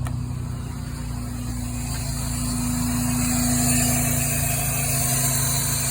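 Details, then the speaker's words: 2006 Scion xB with 1ZZ-FE engine, fitted with larger test injectors and a 63mm Blox shorty ram intake, started cold in open loop: even, slightly fast cold idle with a steady low hum and a faint whine. Sounds good, no check-engine codes. "that's got to get warm enough to for the fuel trims to start doing their thing"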